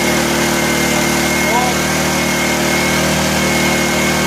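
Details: 1984 Honda EM600 generator on a cold start: steady, even drone with a high, strained pitch that never varies, not regulating speed. Engine overspeed; the fine-tune adjuster knob did little, and a throttle issue is suspected.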